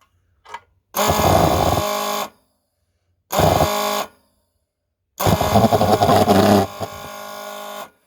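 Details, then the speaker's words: Vectorfog H100SF gasoline pulse jet thermal fogger, hot restart after shutdown, fuel smell, owner says it's flooded and suggests waiting 15 minutes for leftover fuel to evaporate: three short buzzing bursts of 1–3 seconds cut off by silence; fires but won't keep running. "so i can get it to start but i can't get us around so probably after shouting off you're going to want to wait you know 15 minutes for the leftover fuel to evaporate"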